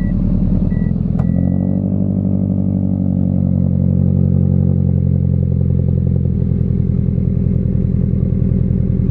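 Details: Scion FR-S, throwout bearing failed on the road: engine settles to a rough idle with an uneven clatter riding on it, worn throwout bearing noise.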